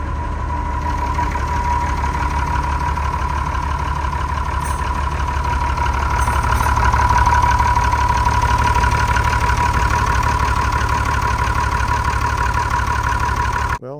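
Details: TK Bedford crane truck with a replacement Perkins 6354 six-cylinder diesel, idle 20+ years, restarted after air was bled from the fuel lines: steady, even clatter at a settled idle with regular firing and no misses or knocks, a normal idle.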